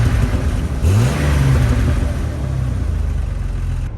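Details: Car after engine swap, AC recharged, no dash warning lights: engine blips up and drops back to a smooth, steady idle with no knocking, misfire or rough patches; sounds healthy.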